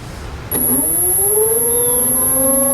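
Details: Newport NK180 kayak trolling motor run with the propeller removed, out of the water, at 28%, 61% and full throttle: a steady high whine starts abruptly and holds a rising siren-like pitch, so the noise comes from the motor itself.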